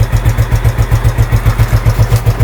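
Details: Mio 110 scooter with a hard-starting problem, idling after its carburetor was cleaned and refitted, now starting with one press: steady low putter at about eight even pulses a second with no misses or stumbles; normal smooth idle.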